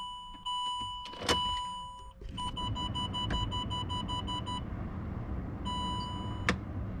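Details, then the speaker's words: Land Rover Discovery 3 / LR3 with a long-failed electronic park brake: when the switch is flicked, repeated high chimes keep sounding and won't cancel; warning persists as the brake doesn't work. "So you just want to flick it up, you can hear it making. That's what happens when it doesn't work."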